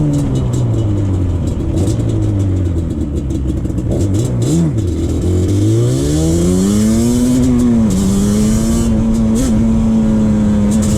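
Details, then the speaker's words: 2001 Yamaha Banshee 350 two-stroke on a POV ride after new clamps fixed an exhaust leak. Crisp buzz climbs and drops cleanly through the gears, no puffing or ticking at the pipe; normal, sealed two-stroke exhaust. "once i put those clamps on and the bike didn't have an exhaust stick no more it rip it really rips now the bike really picks up now and you can actually feel uh more power on the bike"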